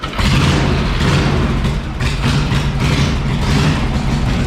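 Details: Harley panhead motorcycle, put together in about a month, first start: deep, loping V-twin beat with uneven, lumpy firing pulses and strong low rumble; freshly built engine running on its own.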